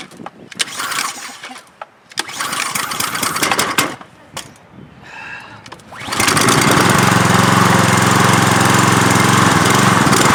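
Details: Troy-Bilt pressure washer, Briggs & Stratton engine, after regapping the RC7YC spark plug: fires after rough pulls, settles to a slightly wavering idle-down idle (trigger not pulled); idle surge.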